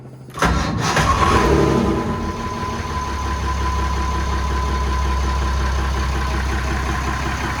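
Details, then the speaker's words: Inboard boat engine with the gear disengaged and the low oil pressure warning light on: brief crank, then it catches quickly, revs flare and must be pulled back to avoid over-revving, then it settles into a steady, even idle with no knocks or misses. "You can see warning light for the low oil pressure, and then just as you crank, the engine will spring up and you have to be ready to take the revs off so the engine doesn't over rev from the beginning."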